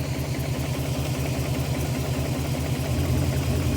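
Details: BMW E34 540i 6-speed M60 V8 with unusual engine failure: idle lopes unevenly with stumbling low thump every few beats, one cylinder not firing; unplugging coils one by one to find it, cylinder 2 or 3 suspected.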